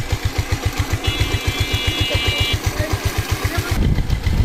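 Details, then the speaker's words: Bajaj Pulsar motorcycle after engine rebuild, new parts fitted: even low thumping at steady idle, no ticking or knocking; tappets repaired, to be adjusted after about 500 km; engine sounds good, normal idle. "গাড়ি কিন্তু sound খুব সুন্দর আছে, plus আমরা ট্যাপেরটাকে সারিয়ে রেখেছি।"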